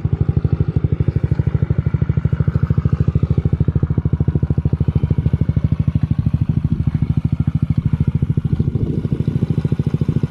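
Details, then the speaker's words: 2022 Honda Ruckus after a 9.5-inch stretch and stage 2 performance kit, idling as an even, quick single-cylinder putter. The faint gurgle is the decompression tube breathing, which stops when its outlet is covered; the engine runs fine. "so that's the bike completed sounds good running good you can hear a little not clicking noise but it's a gurgling noise that's a decompression tube"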